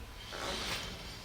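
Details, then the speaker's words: 2002 Subaru Impreza RS, driver-side wheel spun on lift, checking bearings: soft even swish rising and fading, only light brake pad brushing, no growl or grinding; bearing fine, normal. "what do you deal there right that's just the brake pads nothing problematic"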